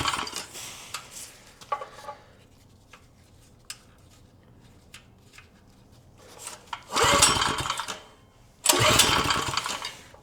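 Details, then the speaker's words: Vintage Tote Gote minibike small engine run on starting fluid after replacing a gummed-up carb and new fitting: two short bursts of rough revving, each firing strongly before dying back; it now starts and runs. "Now let's just try and run it off starting fluid a little bit."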